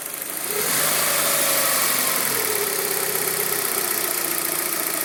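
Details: Fiat Panda 1.2 (60 hp) with unstable idle; idle rises then hunts unsteadily with a lumpy, uneven pulse about three or four times a second, misfire on cylinders 1 and 4.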